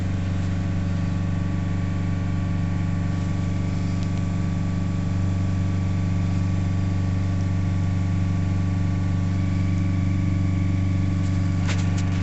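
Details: Nissan Navara D40 2.5 dCi diesel, still cold, fresh jerry can of fuel added, P1275 fuel pump and P1622 codes: steady low idle drone, revs creeping up only slowly, shake gone; engine down on power.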